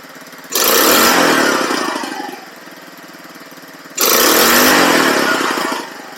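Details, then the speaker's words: Cheap buggy's small engine revved with wheels off the ground during carb testing; two clean rev bursts with no stuttering or popping, faint pop as revs fall; slight backfire remains, owner thinks it needs a little more jetting. "backfire but none of those none of the stuttering and popping when it revs up so I'm thinking it might just need a little more jetting somehow"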